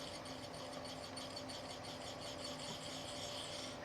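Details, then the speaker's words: Samsung DLP television color wheel, removed and spun by hand, coasting down with a quiet raspy whir as its worn bearings rub; the wheel normally runs at about 7,000 rpm and shows wear from rubbing. "I don't know if you can hear it on the tape but I can hear the bearings rubbing so imagine that but at 7,000 you know RPMs"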